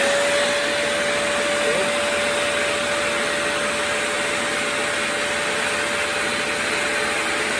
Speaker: all right well that goes to show you that your whole suction is not going to be too strong